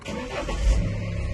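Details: BMW with keyless start cranks and starts after the fried keyless module above the battery is unplugged, fixing a no-crank no-start: brief starter churn catches straight away into a steady low idle, no stumble.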